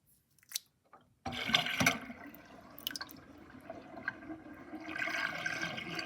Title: Interesting kitchen sinkdrain with drainbasket and gurgling sound (2)